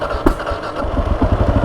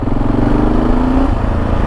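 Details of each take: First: Kawasaki KLR650 single-cylinder, first proper start after rebuild: one sharp backfire pop as it catches, then a quick, even thump settling into idle before warm-up. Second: Kawasaki KLR650 single on its first test ride after rebuild, brakes not yet bedded in; steady low thump climbing smoothly in pitch under acceleration, no misses or knocks; running nice, normal.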